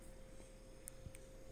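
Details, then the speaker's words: Faint, steady hum at one even pitch with no knocking, rattling or buzzing from the compressor of an AQUA AQR-D275R-BK refrigerator after 4 months of use, fan switched off; runs smoothly, normal. "Mesinnya halus, tidak mengalami permasalahan."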